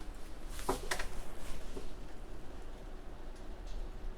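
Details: 720Kb diskette being formatted under MS-DOS on a dual-boot XP machine, succeeding where Windows XP had reported track zero bad; quiet soft ticking as head steps track to track over faint spin hum. Normal floppy formatting.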